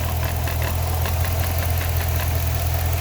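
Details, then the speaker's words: Chrysler 300C SRT Design HEMI, 198K miles body with replacement engine about 50K miles, at idle: steady low rumble with faint irregular rattle about three per second; a visibly vibrating engine-bay part is suspected, but noise still heard in engine, unconfirmed. "This is vibrating, look. You can see it shake a little bit. Look at that. This is what's making the noise. This could be the rattling noise, but I still hear it in the engine, man."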